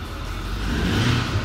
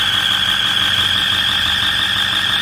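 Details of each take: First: 2008 Ford 550 with 6.4 diesel revved after replacing the exhaust gaskets and studs (turbos already new): smooth, deep, even rev with no whine or hiss; the exhaust-leak whining noise is gone. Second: 2008 Ford F-550 with 6.4 diesel, turbos just replaced, idling with a loud steady high-pitched whine that gets louder on acceleration. Cause is an exhaust leak at a broken exhaust manifold bolt.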